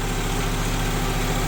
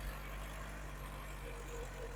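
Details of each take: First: 1974 VW Passat B1 with a swapped GTI engine, first run after setting ignition timing, with no throttle cable connected and grease burning off the exhaust. Steady, even low idle with no knocks or misses: normal idle. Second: GTI engine swapped into a 1974 VW Passat B1, under hard acceleration while driving: low, uneven drone with a missing firing pulse as it runs on three cylinders. Number four is not firing, number one also seems weak, and an earlier intermittent misfire worsened.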